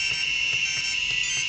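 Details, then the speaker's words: Maytag washer control board with interface display: when powered it emits a constant unpleasant high-pitched buzz with faint pulses, and the interface sometimes shuts off. The buzz is traced to a capacitor with a loose contact. "si nosotros intentamos prender esta tarjeta interfaz enciende pero se produce un sonido enteramente desagradable todo el tiempo"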